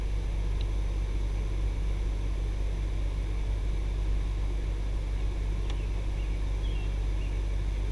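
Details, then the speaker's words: ICP 3-ton 5-speed inverter heat pump, newly installed, ramping down after power cycle: steady low drone with a soft fan whoosh, even and smooth, normal running; takes about 5 minutes to start working after power restored. "So from the time you turn power back on, it takes about 5 minutes for the unit to start up and get working."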